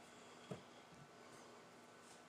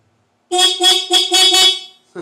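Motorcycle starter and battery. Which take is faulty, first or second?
first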